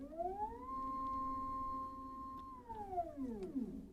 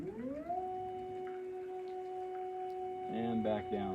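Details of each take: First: EpicSaw PowerLift motor on a Woodland Mills HM130 Max sawmill: whine ramps up, holds steady, falls away while the cable tightens but the head doesn't move under load; owner suspects internal slipping, maybe wrong-size key. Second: EpicSaw PowerLift on a Woodland Mills HM130 Max sawmill, running at a reduced lift rate setting pending squaring the unit: steady, even electric motor hum at one pitch as the head travels up and down; normal lift motor operation.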